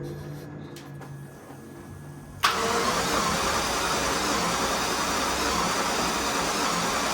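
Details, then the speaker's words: Jaguar XJS, first start attempt after priming the fuel injection rail with the trunk fuel pump: steady cranking that never catches, fuel smell noted; cranks but won't start, coil wiring and injectors to be checked. "And turning the key. We got nothing. Huh. I smell fuel."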